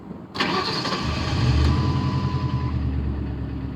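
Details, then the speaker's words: Crown Victoria after replacing spark plugs and the bad cylinder 2 fuel injector (P0302/P0202 misfire codes); brief crank, fires quickly, smooth even idle with no stumble: normal start and idle. "i am the master no more misfire"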